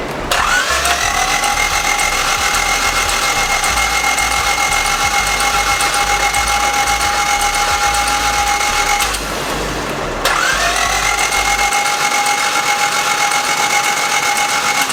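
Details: Honda D16Z6 after belt install and TDC check, cylinders wetted, running with a mismatched F22 ECU: long bursts of steady starter whine with an even cranking beat near 220 per minute, never firing; cranks but won't start, cause unknown.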